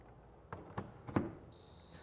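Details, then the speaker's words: Bird dog underground dog fence transmitter: a few handling clicks, then steady high-pitched beep on power-up, signalling a break in the buried boundary wire loop. "of course that beeping sound means the loop is not fully intact"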